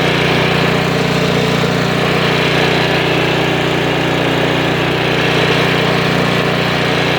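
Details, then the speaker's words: Snowblower single-cylinder engine after replacing the carburetor with new part 640084B: steady, smooth, unbroken running with no surging or hunting; running healthy. "Well, that's very satisfying. New carburetor, $12, postage paid, an hour of time,"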